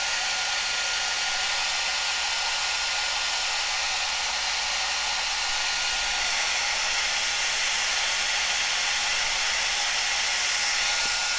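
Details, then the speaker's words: Cascade DS-925 hair dryer on high after repairing a no-heat fault by crimping. Steady, even high-pitched airy rush with no stutter or rattle, temperature reading rising to 75; running normally. "seven seventy seventy-five here seems like it's working"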